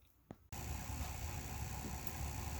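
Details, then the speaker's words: Toshiba Beta VCR V-S443C after oiling the video head drum bearings and reassembling the head drum: soft click, then steady low hum and faint hiss; bearing noise gone, no grinding, though pause remains noisy. "the good news is the bearing sounds are gone the bad news is I didn't quite get something lined up so uh pause is noisy"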